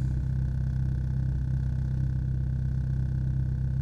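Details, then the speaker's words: VW Jetta A3 (coil-burning problem), about a week after the fix. Cold engine idling: even, steady low idle with the rpm needle not moving, no stumble or hunting. Normal cold idle. "desde que está frío el motor se escucha más parejo no se mueve la aguja de las revoluciones"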